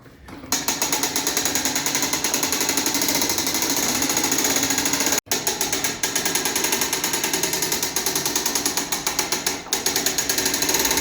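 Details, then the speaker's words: Revere bell tower clock, hand-cranking the weight in the arrow direction: fast steady crisp metallic ratchet clicks, pawl catching, winding correctly. "When cranking, it's important to go in the direction of the arrows. You'll hear a clicking. You go the other way, you're going to unwind it."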